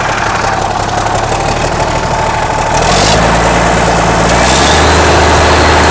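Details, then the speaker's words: 1963 Mack F600 diesel idling after start, oil pressure slowly rising through the big filter: deep, steady idle with a faint thin turbo whistle on top; turbo spooling normally, engine healthy. "but you know she's happy there so yeah beautiful absolutely magnificent hear that turbo whistle"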